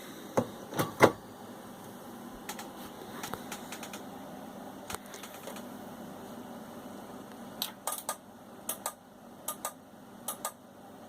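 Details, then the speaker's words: Marantz 4500 receiver at power-on, before repair: the relay clicks sharply about every half second over a faint hum instead of engaging once. "зрозуміло працює реле і воно працює і працює розберемо"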